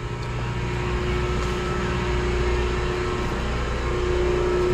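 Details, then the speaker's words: Possible small booster pump in a water source heat pump and cooling tower system: steady even hum, constant mid-pitched tone, no knocks or surging; pump running normally. "but they have another pump here oh yeah i hear that running yep so we got the pumps running"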